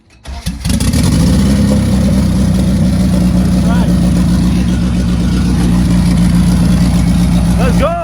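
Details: 1995 Honda Civic coupe with turbocharged B20, first boosted start-up on the second attempt. Engine catches on the starter and settles straight into a steady, even idle with no knocks or misses; runs healthy.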